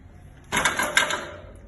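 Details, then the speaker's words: Bike hydraulic disc brake held on while the rear wheel is lifted and dropped to the ground gives a harsh, clattering squawk; possible causes are a loose disc, caliper bracket or caliper, glazed pads, or contamination. "Esse problema acontece com 4 opções. Número 1, disco solto. Número 2, Suporte da pinça. Número 3, pinça solta. E número 4, pastilha espelhada."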